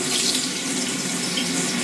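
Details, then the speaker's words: Pressurised gas-heated hot water system after Zilmet expansion vessel replacement, still powered down, flow increased at the tap: smooth continuous rush of water with no spitting or air bursts; steady water flow. "So, you can hear that coming out. We might just increase the flow a little bit. Now we've got water coming out which is good."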